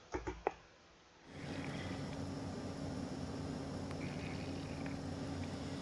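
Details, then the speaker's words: Underfloor water pipe leak under a flooded room floor; after soft taps, a steady rushing hiss with low hum rises through the floor as pressurized air from leak-detection equipment escapes. "소리가 쥐익 하고 이렇게 올라옵니다. 장비를 물어놔서 이제 공기가 빠지는 소리인데요."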